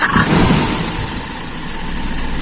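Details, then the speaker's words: Carburetor with a very small idle jet, idle mixture screw closed back one turn: short clip of a steady, even idle after a throttle blip, settling with no hunting or stumbling and no drop on throttle release; mixture set right. "ini juga pas di stasionernya enak jadi satu putaran tadi akan pengaruh teman-teman"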